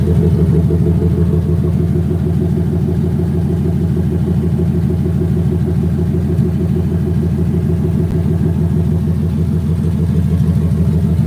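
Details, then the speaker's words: Ticking heard at idle from a 2018 turbocharged Mustang GT V8 after a one-wire fix and ghost-cam tune load; deep lumpy idle with brief throttle blip, ticking still present, still needs fuel system and tune. "Well, I still hear the ticking."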